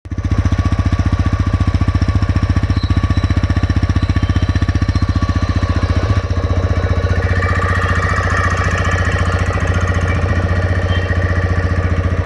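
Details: TVS Raider 125cc engine idling with a deep thump and a steady, sharp tappet knock at about four per second; excess valve clearance is making the tappets open and close late.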